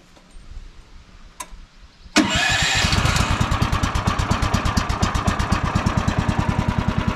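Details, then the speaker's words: Woodland Mills HM130 Max sawmill engine, about 10 hours old, started before its first oil change to warm the oil, run on stabilized fuel: catches instantly and settles into a steady, even chug; starts and idles fine. "starts right up just like that."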